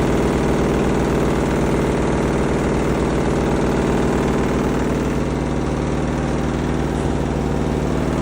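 A steady low drone with a regular thump close to three per second runs throughout; the washer is making an abnormal running noise.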